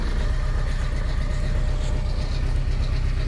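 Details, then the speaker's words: Porsche 944 first started after sitting abandoned over 10 years: low, uneven idle with a lumpy, stumbling beat and no steady rhythm; rough idle. "Oh, it's [laughter] going. Come on. Oh, it's running rough."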